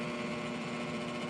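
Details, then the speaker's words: Trane 7.5-ton rooftop unit, rollout switch found tripped; with 238 volts applied the new inducer motor is seized, giving a steady electrical hum with no fan spin-up; inducer assembly later replaced. "I don't know if you guys can hear it but that new motor is locked up locked up pretty bad"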